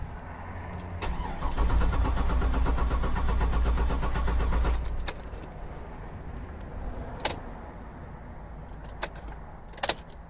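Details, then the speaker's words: 2005 Cadillac Escalade 6.0L 4x4, crank no start. Starter churns evenly for about three seconds but the engine never fires and no fuel pump hum is heard; no current flow on the pump circuit: crank no start, failed fuel pump. "So let's see if we hear a fuel pump turn on. I did not hear a fuel pump. Nope, I do not hear a fuel"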